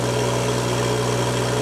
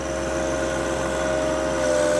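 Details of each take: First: Turbo-modified John Deere 1025R subcompact tractor at 2700 rpm driving a loader into a pile, pedal fully down: engine holds steady without bogging or stalling while the hydrostatic transmission relief valve squeals constantly, normal. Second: Standard John Deere 1025R diesel tractor with 3.8 hours, at 2700 rpm, loader driven into a pile with the hydrostatic pedal held fully down: steady drone drags down in pitch and grows rough, bogging until the engine stalls from overload.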